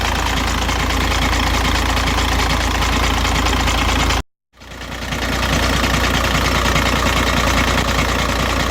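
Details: 2006 VW Jetta TDI 1.9L diesel, 215,000 km, cold idle: rough knocking clatter about three per second from bottom of engine, fades after 5 min idling or 2–3 min driving; timing belt changed, oil pump inspected fine; cause unclear.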